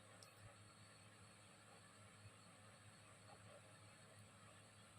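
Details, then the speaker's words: Maspion wall-mounted fan with replaced motor, previously only humming and needing a push to spin, after oiling the dry bearings: steady low hum with even air rush, running smoothly at full speed. "lancar tidak ada yang macet semua udah ditetesin oli kita corong Alhamdulillah berputar kencang banget ini"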